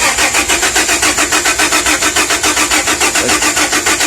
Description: 01 Dodge Ram v6 magnum..just turns over..ran great before then ran out gas.. Put gas in it all it does is turn over.. I have spark and fuel at the rail..